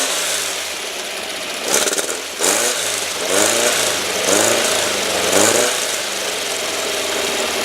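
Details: Rebuilt, upgraded air-cooled four in a 1970 VW Single Cab truck with a 5.5 lb balanced pulley, still a little cold; it fires and blips cleanly with crisp revs and no knocks or misses. Healthy fresh engine.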